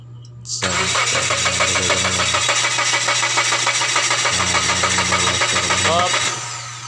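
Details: Mazda 3 cranks but won't start, with spark plug, coil and injectors checked okay and fuel pressure being checked: steady fast cranking at about three and a half beats per second that never catches. Cause unresolved.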